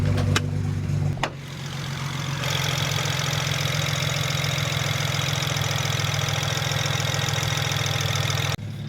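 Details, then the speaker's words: BMW E90 335i idling with an uneven, stumbling beat that never smooths; check engine light returns with cylinder 3 misfire after injectors 3 and 4 swapped, so coils are being swapped next. "it still isn't running perfectly smooth so i'm wondering if we had maybe another bat injector it's even misfiring right there and the check engine light came back on looks like a cylinder three misfire again"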